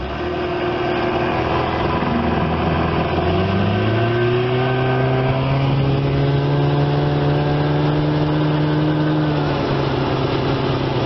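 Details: 1975 Evinrude 25 HP two-stroke outboard after tune-up, carb cleaning and new parts, lower cylinder 130 psi compression. On a lake test run after restart on a chilly morning, a smooth, even drone climbs with throttle and holds steady, no misses or knocks. Normal running.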